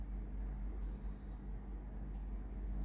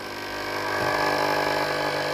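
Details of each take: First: Philips steam iron GC7703 after replacing the water pump, clean mode held 5 seconds: a few short beeps, then steady even low buzzing hum as water reaches the plate; normal pump operation. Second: Philips steam iron GC7703, clean mode test with front plate heating normally: steady buzzing pump hum with no steam hiss, no steam from the plate; pump valve cracked so no water delivered.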